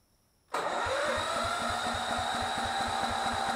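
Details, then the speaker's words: Miller Bluestar welder engine, sat for five years, with a new battery fitted: even cranking with no firing. Spark was checked; the carburetor isn't picking up any fuel, so fuel starvation is the cause, and cleaning the carburetor is under way. "trying to clean the carburetor I don't see it pick it up any fuel"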